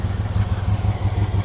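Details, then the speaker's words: Mopar 318 V8 in a Coronet after a timing chain replacement, on a cold day, idle turned up, fuel filter already getting dirty: lumpy, uneven thumping at about six pulses a second with a wavering beat; still idling rough and shaking. "But she is running. She is still shaking."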